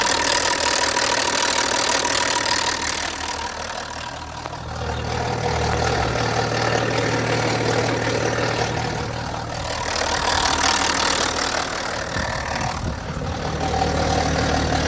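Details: BMW E90 325d with N57 diesel at idle: a loud, steady tick about three per second over a low drone; diagnostic tool shows no fault codes; owner suspects the lifters.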